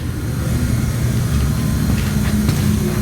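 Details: 1954 Mayflower oil-fired forced hot air furnace, last serviced 2012, new oil line and tank: steady, even low roar with a soft constant hum and no knocks, rattles or squeal; the oil burner runs smoothly and healthy.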